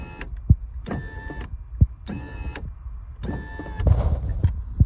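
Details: Window motor after cleaning carbon from the housing, greasing the threads with white lithium grease and remounting on the regulator: short repeated runs with a steady hum and clean stops, no grinding or straining; the window now works smoothly.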